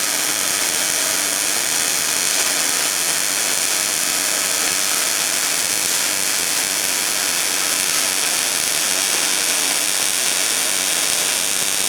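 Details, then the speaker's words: New Miller Millermatic 211 MIG welder on auto setting, bead run at about 10 degrees, half an inch away: even frying crackle steady for twelve seconds without pops or sputter; normal MIG welding. "ain't perfect but it seems to work well I think this is going to suit our needs"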